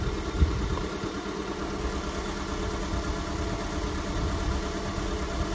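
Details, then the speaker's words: Honda Civic 1.7, 2001–2006, with no check engine light, at idle: the idle has an uneven, shaky low thump with a skipping beat as the engine jumps; a cylinder misfire, fixed by replacing the ignition coil and servicing the spark plugs. "hoje eu vou trazer de perto porque eu não sei se tá dando para você dizer que o motor tá pulando"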